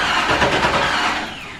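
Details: Datsun 280Z with LS engine swap, out of storage over a year, first crank at 78°F outside in service position for oil priming: short even starter cranking, no firing, no knocks; healthy crank.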